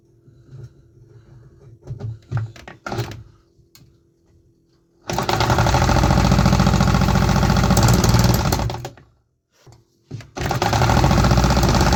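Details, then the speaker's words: Homemade 3D-printed 125cc two-stroke engine, first test run with carbon-fiber nylon exhaust: short bursts of rapid firing dying between attempts, barely catching; runs only on starter fluid, injector not delivering enough fuel. "We had some signs of life, but only on starter fluid. That means something is off with my fuel delivery from the injector."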